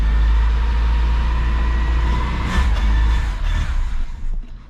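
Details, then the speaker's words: Mitsubishi Sigma freshly fitted with a 32/36 Weber replacing the dead Mikuni carburettor: engine catches and runs a few seconds on carb-cleaner starting spray, then sags and fades out; fuel mix not good enough, running lean. "Oh, okay, that's normally, this is starting, the carb clean started, so it sounds like it's not good enough fuel mix."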